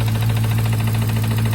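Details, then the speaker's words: 2014 Jeep Grand Cherokee SRT 6.4L 392 Hemi, used replacement engine, supercharger removed, returned to stock, no tune: steady idle with dull regular knock deep in the bottom end; engine knocking. "So it's running with the noise in the bottom end of it."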